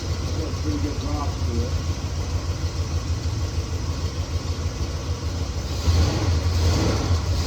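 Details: 1969 Chevelle SS big-block V8, sat 37 years, restarted after loose spark plug terminals were tightened: deep idle with an uneven, lumpy beat and occasional stumbles, somewhat smoother toward the end but still rough; possible misfire, owner will heat-gun check header pipes.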